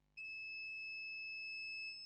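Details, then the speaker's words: HP Pavilion G6 laptop with no display and three beeps, multimeter continuity test on a capacitor on the RAM module: steady high-pitched continuous beep reading zero; capacitor shorted. "zero the capacitor is shorted and I'll check I think yeah this one is shorted"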